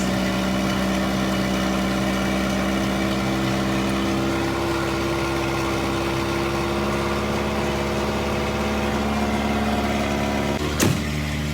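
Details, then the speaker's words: Junkyard-revived Volvo 240 just started cold, petrol, idling loud and raspy with a rough puffing edge: bad exhaust leak at the downpipe, sounding almost like an open downpipe. "Oh boy, there's a bad exhaust leak because I can hear it right here. Like it's an open downpipe almost."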